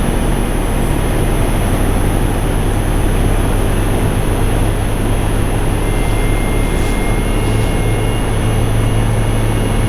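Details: Infinity variable-speed condensing unit outdoors at stage 5, highest capacity: loud steady low hum and fan rush with no rattles or surging; normal full-speed operation.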